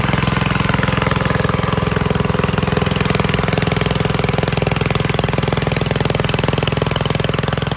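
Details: 1951 Gravely Model L single-cylinder garden tractor idles with an even, steady chuff, firing regularly with no misses or knocks, after a hotter backup magneto replaced the weak-spark original; it burned a little oil at start.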